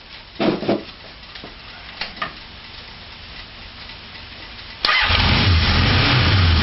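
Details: Four-cylinder motorcycle ignition test with coils unbolted from the frame and ungrounded, plug wires one and two disconnected: clicks, then a rough, lumpy run; it still runs on two cylinders, so coil grounding does not matter.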